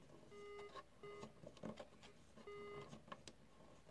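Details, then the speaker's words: Sequential Circuits Pro-One synth pot after spraying cleaner, knob swept back and forth: irregular scratchy crackles and pops fading as wiper scrapes oxidation off; dirty oxidized potentiometer crackle. "heard the cracking you hearing it go away moving the wiper back and forth with that cleaner on there is essentially scraping the oxidation off"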